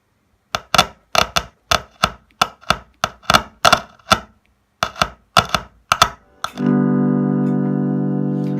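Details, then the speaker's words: Laney LA60C solid-state acoustic guitar amp, active instrument input: strumming suddenly cuts to silence, then a chord rings on. The active circuit is suspected of cutting out; the passive input seems okay. "to be some problem with the active circuit it's cutting out"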